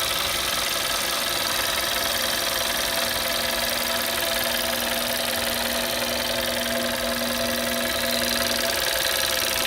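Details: 2011 Audi A3 8P 1.4 TFSI at warm idle: busy, rattly top-end clatter over a faint steady hum; strange abnormal engine noise, source unclear.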